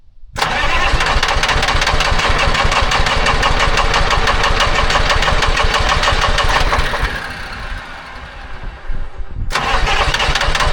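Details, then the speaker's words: Telehandler swapped from John Deere to Detroit Diesel 3-53 two-stroke, after fuel filter change, sat a couple of weeks, cold start at 60°F without ether: quick catch after brief cranking, then steady even clatter; normal cold start. "Pretty pumped on that deal. It's uh only 60° this morning for a machine that has always needed ether to start. We're making very good improvements."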